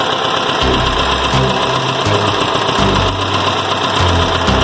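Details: Air-cooled VW Gol BX engine whose carburetor is leaking fuel and flooding, with a hydraulic-lock risk: rough, lumpy idle with uneven low thumps and stumbling beats. Flooding carburetor.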